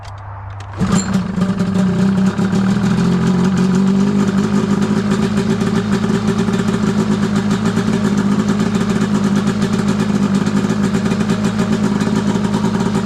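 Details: Arctic Cat F7 two-stroke snowmobile on stand after draining bad fuel and refilling with fresh mixed gas (oil confirmed in fuel), after earlier snuffing itself out: catches after a pull, settles into crisp even buzz, no misses or stumbles.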